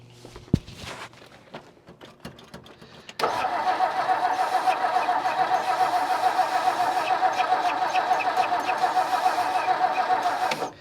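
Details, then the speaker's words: 1959 Meteor left sitting in the bush, first start attempt with fuel in clear float bowl: starter cranks steadily about three and a half turns a second for eight seconds, never fires; suspected no spark, plan to sand points. "Nothing. Okay, I think we'll pop the distributor cap off and maybe sand the points. Because I'm thinking it might not have any spark."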